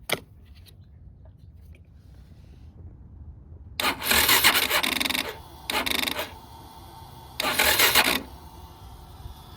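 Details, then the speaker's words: 2021 Yamaha XT250 with 252 miles, sitting since 2022, new fuel and new battery, cranks but won't start, fuel pump sounding scrapey: three short raspy starter bursts die off without firing; slow cranking, too little battery power suspected. "I don't think it has enough power to make it crank over I'm going have to probably put some jumper cables on there"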